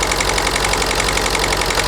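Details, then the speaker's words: Ford Focus 1.6 TDCi at just over 1500 rpm: lumpy, uneven diesel clatter with heavy pulsing beat, aggressive misfire; unplugging injector 1 changes nothing, so injector 1 suspected faulty, running on remaining cylinders. "And then we've got quite an aggressive misfire. Okay. I don't know if you can hear me, but if I unplug injector number 1, it doesn't really make any difference to the sounding of the engine."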